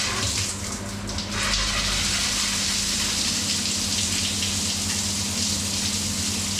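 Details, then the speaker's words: Aqualisa digital shower after replacing its failed pump motor (windings had failed, loud buzzing before): strong, even rush of water with a low steady pump hum, much quieter, no rattle or surging; healthy shower pump. "okay so when i turn it on in the bathroom now pump's much much quieter"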